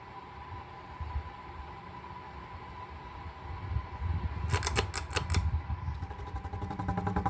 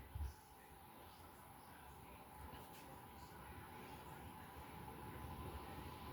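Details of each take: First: White 52-inch Craftmade outdoor ceiling fan, blades re-leveled and re-pitched, 5-wire capacitor: close-up startup with steady motor hum, a few sharp knocks, then faint rapid ticking from worn bearings. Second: Restored 52-inch white outdoor Craftmade ceiling fan with five new blades, after its bad capacitor was replaced: a steady whoosh of moving air over a smooth low hum, no clicking, rubbing or wobble, and much more airflow; normal running.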